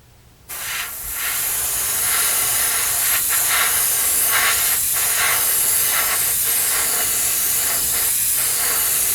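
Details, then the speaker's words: Airbrush spraying with a smooth, even hiss and no sputtering, showing correct paint flow, with two brief pauses near the end. "no sputtering hear it no sputtering"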